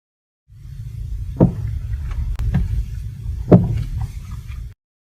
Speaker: This noise comes directly from inside the joint of a stabilizer link.